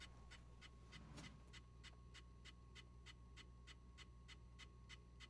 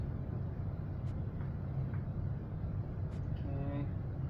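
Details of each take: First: Leslie 147 rotating speaker cabinet motor switched on before maintenance; quiet hum with a light, regular scratchy tick about twice a second, scraping from a loose screw rubbing the fibre board inside the motor (O-ring rubbing also suspected). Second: Leslie 147 speaker cabinet motor, previously severely under-oiled, just after oiling: a steady, even low hum with no drag, scrape or catch. The motor spins freely and smoothly and is clearly faster after oiling.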